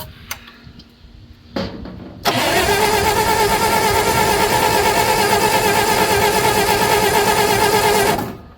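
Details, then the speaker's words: Old loader, allegedly a Bobcat 610, unrun five or six years, 12-volt system with weak spark and only 8 volts at the coil (ballast resistor later bypassed): steady cranking at about three beats a second for six seconds, never fires. "this is a 12vt system um had really weak spark but I only had like 8 volts back at the coil so I just bypassed the Ballance resistor"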